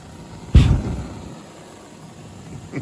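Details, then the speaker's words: Standing pilot gas furnace, normal main burner ignition: the thermostat relay on the fan center clicks, powering the limit switches and vent damper and sending 24 V to the gas valve. Then one soft low whoomp as the burners light, and a quiet steady burn. "the click of the thermostat relay on our fan Center relay closing the circuit powering our safety circuit our limit switches our vent damper and then sending 24 volts to our gas valve as long as it's on on we will have ignition"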